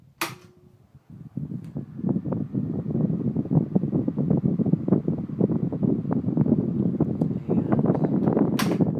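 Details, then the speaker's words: Vintage Panasonic F-1208C 12-inch oscillating desk fan (late 70s–early 80s guessed) on high, then spinning down: quiet running with faint high-pitched motor whine and light ticking; weak spin-down, owner thinks motor needs more oil (no oil holes). "But it is really quiet. I'm very happy with it."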